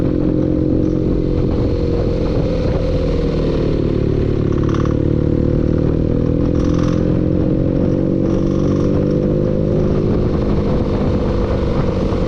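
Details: Engine running steadily with a rapid metallic clatter knocking under the exhaust note; cause not identified.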